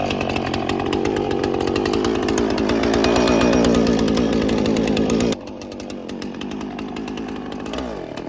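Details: Husqvarna 455 Rancher chainsaw revived after three years unused, carb removed, cleaned and reinstalled; loud steady two-stroke howl loading down through the cut of limbs and recovering cleanly, then settling lower; runs strong and healthy after repair.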